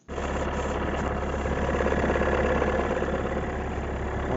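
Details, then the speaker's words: 2019 Renault Megane IV, 1.5 dCi K9K 872 turbodiesel, cold idle below freezing for the first 3–5 minutes: a fast, uneven rattling knock over the diesel clatter from the right side. Caused by the crankshaft damper pulley, which was replaced. "вот Звук вот такой вот звук исходит на холодную от 3 до 5 минут"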